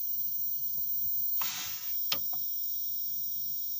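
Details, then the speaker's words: CRT television plugged in, oscillating: thin high-pitched hiss with rushing bursts and sharp snaps of high-voltage corona arcing inside, ozone smell; no audio or picture on screen, brightness maxed out. "I can hear the noise I can hear the corona it's not the corona virus it's the corona arcing inside"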